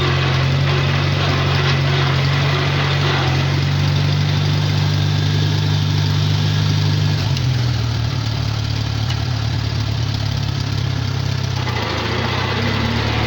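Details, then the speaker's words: Farmall four-cylinder tractor idling, needed a lot of oil and had oil pressure issues; slightly uneven loping beat, owner suspects it runs on three cylinders, oil in cylinder three, stuck rings assumed, yet says it sounds like all four: possible misfire. "i almost wonder if it's only running on three cylinders but it really doesn't sound that bad so it really sounds like it's running on all four"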